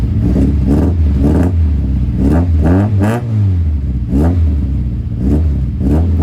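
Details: 1971 Toyota Celica TA22 2TG after fitting a new stainless exhaust without the old whistling tip: repeated quick blips rising and falling cleanly, crisp throaty note, no whistle or rattle; healthy, carbs not yet synchronized.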